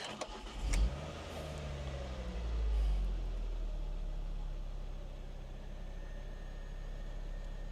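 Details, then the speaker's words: MK2 Ford Focus ST 5-cylinder bought at auction, after swapping a new coil pack across all five cylinders: starts with cough and short rev, settles to low idle with faint uneven stumble; slight misfire remains, runs better, cause unknown. "Yeah, there's still a slight misfire, but it's running a lot better. But there is still a slight misfire."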